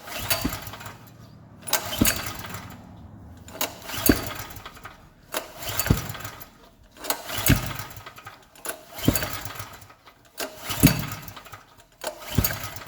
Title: Gasoline generator wont start